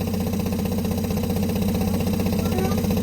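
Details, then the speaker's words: Newly installed Remco Aqua-Jet RV water pump running as water flows: loud, steady buzzing drone with a rhythmic shudder about four times a second; excessive vibration, the pump also leaks and cycles on and off; owner calls it faulty. "I know, and then it does that when the water comes out, it shakes like that."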